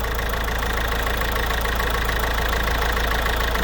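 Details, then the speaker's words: Citroën C4 1.6 HDi diesel idling: touching the cylinder 2 injector connector makes the engine vary, a lumpy stumble about twice a second; misfire from pins loosened with age, fix by tightening them and contact cleaner. "Quand on touche un peu le connecteur, on va le voir le moteur varier."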